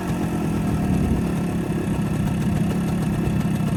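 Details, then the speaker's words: Old two-stroke barn-find moped with ignition jammed on by a screwdriver: a rapid, busy low putter holds a steady pace with no knocking or misses, sounding stronger; normal idle. "Now that sounds a bit stronger."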